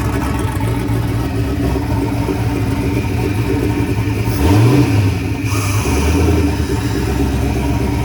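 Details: Turbocharged Chevy S10 just after an odd start, blamed on an idle-screw change that threw off the IAC and idle, later readjusted: a couple of throttle blips, an uneven lope settling toward a steady idle, no knocks or grinding; sounds healthy.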